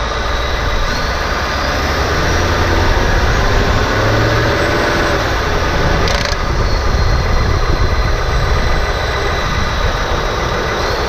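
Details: 2018 Ford F-150, rattle since new: loose uneven rattle or clack over a deep rumble near the transmission, heard under the truck and louder in the engine bay; worst on cold starts, triggered by gentle throttle then lift-off in 1st–3rd gear; source not found.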